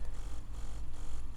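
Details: Ambition Sol Nova wireless tattoo machine that periodically cuts out during work: low motor buzz sags and surges about twice a second, running unevenly; shorted brushes and burnt commutator.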